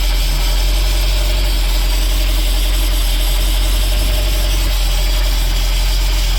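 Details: 2011 Bayliner 185 boat engine after sitting, only battery hooked up and a diesel flush: deep, steady rumble at an even idle, no misses, knocks or surging; slight whine owner suspects is power steering; normal idle.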